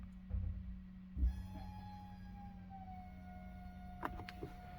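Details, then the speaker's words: 2015 VW Golf 7 2.0 TDI (CRLB) after rocker cover replacement: electric fuel pump running steadily during the VCDS basic-setting fuel pump check before starting, about a minute; even low hum with faint whine, no surging; normal fuel pump run. "Et voilà, on entend qu'il fonctionne et on attend que le processus se termine et après on démarre la voiture."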